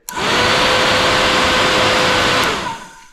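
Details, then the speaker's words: Honda 400EX quad with newly installed 4-inch SPAL radiator fan: spins up to a smooth steady rushing whoosh, winds down cleanly with no rattle or rub; moves really good air and sounds much better. "okay guys well we got that fan all mounted up and she purrs like a kitten here we go not sure if you'll be able to tell a difference from the beginning of the video but this has sounds much better"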